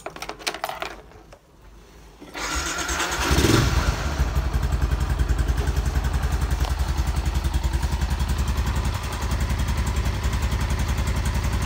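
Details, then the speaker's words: Yamaha Exciter engine after rebuild with 150 parts, which was loudly noisy before: it catches after a brief crank into a smooth, even idle with no knocks or rattles, now quiet. "bây giờ mình nổ máy cho bạn nghe bạn Nhớ lúc đầu nó kêu ghê đúng không Bây giờ nó hết kêu nữa rồi"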